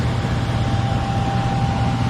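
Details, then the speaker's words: Furnace after replacing the transformer, control board, blower motor and capacitor, with no board error codes: a smooth, constant low hum with a faint steady tone, no rattles or cycling; the furnace is heating normally. "It's loving it. Everything's working great."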